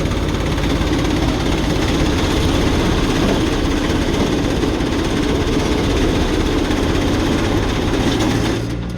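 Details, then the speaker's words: Kia Bongo Big Eye diesel running after the stuck-closed fuel shutoff valve was removed/bypassed so diesel reaches the injectors: steady loud even idle clatter, unbroken until it drops at the end; no-start fixed. "Okay guys, so yung nakita kong problema nito is ito. Ayan isa siyang part ng shut bulve."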